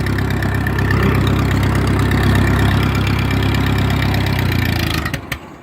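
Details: Cold Massey Harris 22 tractor with plenty of gas in it: a steady starter churn for five seconds that never catches, so it cranks but won't start. Cause not confirmed.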